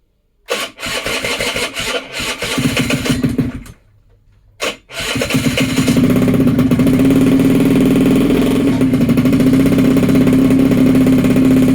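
A few cranking pops, a pause, then the little two-stroke catches and settles into a steady buzzing run with revs held up.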